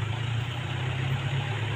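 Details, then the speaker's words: Motorcycle after carburettor idle jet cleaning that fixed stalling at low throttle and stuttering; on a road test ride, steady low engine drone with even beat, no stumbling or misfire, running smoothly. "juga sudah lancar lur."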